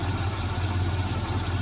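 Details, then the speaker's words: 1972 Jaguar XJ6 with Chevy 350 V8 conversion, just cold-started after three days sitting: smooth, even low idle with a steady burble, no misses or ticks; much quieter than before and no longer pouring exhaust fumes. "if you had gone back and saw some of my videos from the past, you can honestly hear how much quieter this is running now."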